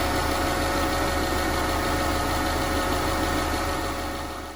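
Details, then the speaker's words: 2009 Subaru Legacy 2.5L SOHC non-turbo with a recently replaced rack and pinion. Steady idle with a constant thin whine: power steering pump whine, suspected from a previous owner running it dry of fluid. "But I think the previous owner ran out of power steering fluid and then ran this pump dry, and therefore it's causing some kind of whining noise."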